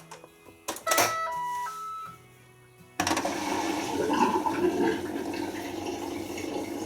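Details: Siemens Serie IQ washing machine draining after pump filter and coin trap cleaned: few chime tones, then steady water rush with even pump hum, no grinding or rattle; normal drain.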